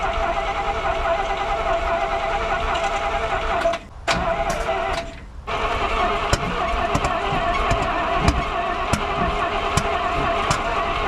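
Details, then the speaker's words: 1971 Chevrolet M705 military truck, not run in years, spark verified, new fuel hose fitted: steady cranking broken by big pops out of the carburetor/intake; owner suspects spark plug wire order on the distributor. "This thing sounds like it's popping directly out of the intake while I'm cranking."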